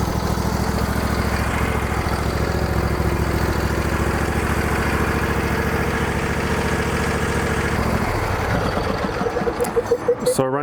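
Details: Lawn tractor right after fuel line replacement, starting immediately on fuel left in the carburetor: a small single-cylinder engine thumps at a steady, quick, even idle for eight seconds before shutting off. Normal idle.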